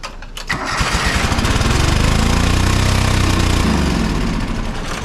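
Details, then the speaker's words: John Deere 425 riding mower, Kawasaki twin, which bogs and dies under load: it runs with an uneven, lumpy beat of about four pulses a second; a spark tester shows no spark on one cylinder, so it runs on one cylinder from a bad ignition coil. "started up there I've still got nothing that's a red light that we're showing that means that this this unit's not getting any spark"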